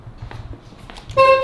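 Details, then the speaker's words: Porsche 911 Carrera S horn tested after fitting a steering wheel: a short, thin, steady tone; the horn works but sounds weak and tinny. "If you guys know my fleet, every single car I buy tends to have a really dinky horn. This is one of them."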